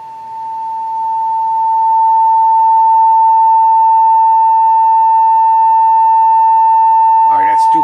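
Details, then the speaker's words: Westinghouse 1949 H-104 seven-tube radio, field-coil speaker energized at 31 V DC, 200 mA: steady clean tone around 900 cycles without buzz, hum or rattle; speaker reproducing properly. "so it's 31 volts and you can hear that it is operating properly"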